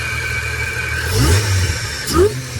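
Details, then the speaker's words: L67 supercharged V6 in a replacement engine with an intake and charger setup, where the seller claimed timing chain backlash from the balance shaft: steady idle with two crisp throttle blips rising and falling cleanly; normal, healthy revving. "How can you not love that? That is beautiful."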